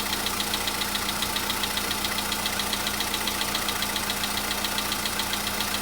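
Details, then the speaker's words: VW Polo Sedan cold start a day or two after oil change and flush: steady cold idle with light, regular high ticking about two per second; knock had vanished the day before, returned but milder. "Чуть-чуть есть, совсем мало. Нет, есть, конечно. Так вот есть, постукивает."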